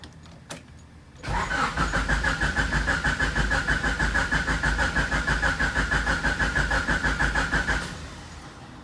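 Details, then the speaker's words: H22-swapped EG Honda Civic, first start attempt after a shifter cable repair: steady, even cranking about three beats a second for six seconds with no catch, and fuel is smelled. "going on now something ain't right well let's see what we got going on now i smell fuel"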